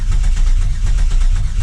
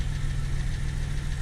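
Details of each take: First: 2000 Camaro 3.8L V6 after engine reinstall, cranked with injectors unplugged to build oil pressure before first start: even rapid starter chugging, no firing, engine spins freely; normal cranking. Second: Reinstalled 2000 Camaro 3.8L V6 idling: light regular tick at engine speed over low rumble, heard at the front pulley area, not top, bottom or transmission; persists with belt off, so not accessories; owner suspects crank pulley, unconfirmed.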